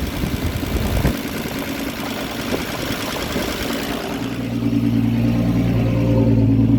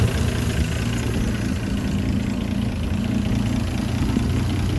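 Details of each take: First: Land Rover Series 3 109, 2.6 six-cylinder, carburettor tune-up after advancing the distributor timing: after handling noise, engine settles into a steady, raised, even idle. Rich fast idle with the choke left on; owner plans to lean the mixture. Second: Land Rover Series 3 109, 2.6 six-cylinder with carburettor still being tuned, just after starting, good oil pressure: smooth, even low hum at idle, steady loudness, no ticks or misses. Normal, quiet idle.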